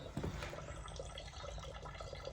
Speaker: You can hear that's still sucking in air. And we're going to clean up all these walls. We've got some wipes and stuff. I think the water is still just trickling out a little bit.